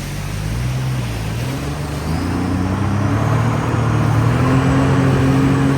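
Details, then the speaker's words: 2007 Sea-Doo RXT supercharged jet ski on water test: steady low engine drone rising with throttle, rough churning note beneath; brand new prop, but pump wear ring scored, pump rebuild needed. "Brand new prop. Wear ring got scored because that sounds terrible. Pump rebuild."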